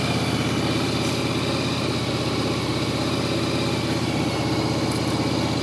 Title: Yamaha Virago 1100 start. Knocking sound.